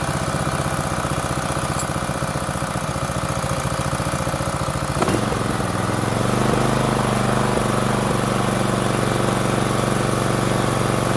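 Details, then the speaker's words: Small petrol water-pump engine after carburetor flushed in place without removal, started with choke and slight throttle, air filter off: fires evenly and holds a steady putter with no misses or surging; running normally. "เป็นยไงครับแค่นี้ก็ได้แล้วนะครับ"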